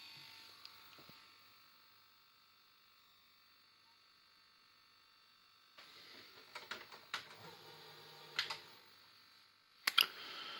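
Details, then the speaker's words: Philips VR-600 Turbo Drive VCR, cleaned, low hours: faint whir then quick light clicks and clunks as the tape mechanism threads and runs, sounding normal. "Lui il fonctionne, il est nettoyé, il est propre. C'est vrai que j'ai pas regardé les guides de borne et tout, mais il a l'air de fonctionner correctement."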